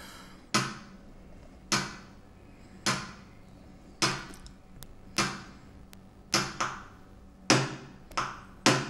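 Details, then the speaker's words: Two TDA7293 chips bridged on a former TDA7294 amplifier board, running hot: sharp clicks about once a second, each with a quick decaying buzz, as the supply keeps tripping. Owner suspects a broken chip, possibly fakes, a bad schematic or no bridge-mode support. "oh oh yes this is a very clear situation of one of the ics get or got broke"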